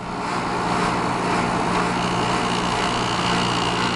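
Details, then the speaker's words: Small White Consolidated Industries (WCI, pre-Electrolux) window air conditioner with styrofoam inside and a motor like a McMillan box fan motor, already cooling; steady even hum, soft airy rush and faint high tone, no rattles or knocks: normal quiet running. "you know they're not as high a quality is like a really vintage unit but they're really quiet and they perform really well"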